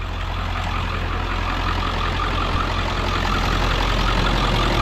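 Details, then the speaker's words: Healthy-sounding 7.3 diesel in a 4x4 Ford F-550 with 6-speed manual, idling in neutral: deep, even idle with steady low rumble and regular clatter, no misses or knocks; normal diesel idle. "it sounds like a healthy 73"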